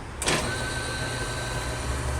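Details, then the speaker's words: Nissan Frontier alternator bench-tested after replacing the regulator and the slipping, noisy pulley: brief clack, then a steady, even whir with no slipping or squeal, light off and charging; normal alternator operation. "funcionou perfeitamente tá não está patinando apagou a luz está carregando"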